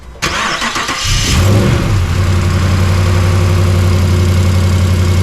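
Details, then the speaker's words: Dodge Ram 5.7L HEMI V8 just started after repairing broken passenger-side exhaust manifold studs: quick crank, then deep even idle with no ticking or puffing, no exhaust leak; left idling to heat the manifold before retorquing. "pas la moindre petite fuite je laisse chauffer un petit peu pour que le collecteur chauffe"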